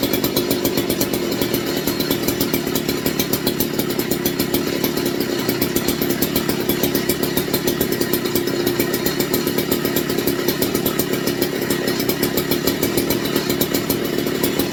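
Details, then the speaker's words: McCulloch MC49 chainsaw on a substitute 090 carburetor, 64°F shop: steady, even high-revving two-stroke buzz with no stumbles, running cleanly after an ignition fix. "something like this definitely was ignition I'm glad I have not had to go to the chip on this one"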